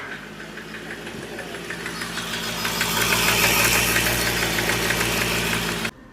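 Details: Hyundai Xcent 1.2 diesel, replaced engine, warmed up: revs climb to a high race by themselves with a hard, sharp knock and heavy smoke, then cut off; accelerator stuck on its own, runaway, cause not confirmed.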